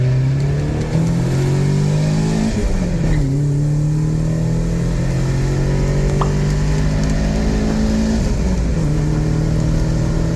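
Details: Nissan 300ZX Z32 with KA24DE engine during tuning, second and third gear wide-open-throttle pulls to redline, air-fuel error about 1%; pitch climbs smoothly with quick drops at upshifts; normal wide-open-throttle acceleration.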